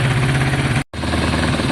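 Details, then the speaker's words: Kawasaki ZL600 running warm a few minutes after fixing coolant leak: fast even twin throb, brief gap, no misses or knocks; throttle responsive, possibly running better than ever. "uh so far so good it's been a good few minutes uh in the way the throttle works on this bike how responsive it is um i think this bike is running possibly better than it ever did before"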